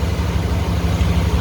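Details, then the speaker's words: 5.7L 350 V8 (new oil pump, timing chain) in a 1991 Chevy 3500 flatbed, warm idle as thermostat opens: deep even idle with a faint lumpy cam note, no knocks or misses, oil pressure about 40 warm, no leaks. "I am happy with it uh that's what about this motor and you can hear the cam in there that little L and uh no leaks"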